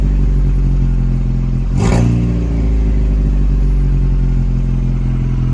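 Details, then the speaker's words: 2.0 EcoBoost Ford Ranger just restarted after a new high-pressure fuel pump, open exhaust with no downpipe, O2 sensors unplugged, no coolant. Loud, raw low rumble, one rev blip, then an even idle with no misses. It runs fine. "Seems like it's running decent otherwise. Once I get that downpipe on there, I will be able to hear what's actually going on."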